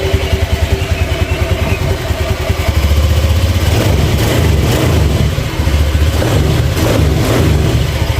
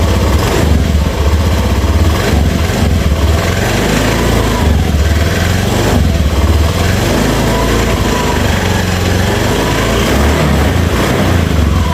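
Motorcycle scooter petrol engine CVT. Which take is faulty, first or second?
second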